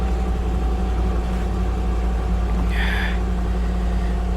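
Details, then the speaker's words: Salvage auction car started for the first time after a dead battery, with a large rock found stuffed in the muffler: steady low idle hum with an even beat and no knock or irregular exhaust chuff; engine settled and running normally. "in mind we have had a dead battery and we've just started it for the first time"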